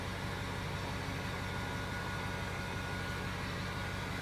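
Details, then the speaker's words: Ford F350 turbo diesel at 185,000 miles, just started after glow plugs: steady, even diesel clatter at idle with faint turbo hiss and no misses or knocks; sounds pretty good. Normal idle. "It actually sounds pretty good."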